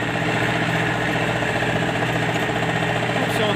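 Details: MTZ-82 tractor diesel; hard, uneven knock at idle. A piece broke off a valve and landed on the piston, leaving fragments and marks found when the engine was opened.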